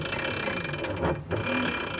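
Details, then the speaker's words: ETM RTR Lite electric pit bike from Electro & Co, new, pushed by hand with motor off. Steady dry ratcheting creak with a brief lull: drivetrain noise, owner suspects the swing arm design acts like an echo chamber. "That don't sound great. It's almost creaky. You'd think that electric means silent. And yeah, technically this is silent compared to a gas pit bike for sure. But there's still a lot of drivetrain noise and what sounds like just echo."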